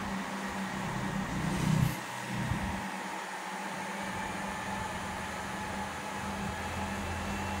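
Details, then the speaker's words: Two 1000W grid-tie inverters reported as error/not running; the stiff cooling fans, oiled and now running: steady, even fan hum at constant pitch, no rattle or scraping; both fans and inverters working normally. "อ่ะโอเคนะครับพัดลมทำงานปกติทั้ง2ตัวแล้วตัวเครื่องทำงานได้ปกตินะครับรันได้ปกติผลิตไฟปกติ"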